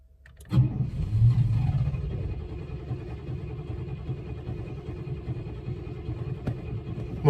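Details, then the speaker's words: 1998 Chevrolet C1500 Silverado: the starter spins steadily for several seconds and the engine nearly catches but never runs; owner suspects a fuel pump. "Oh, nearly sounds like it wants to go. [Music] I need a fuel pump."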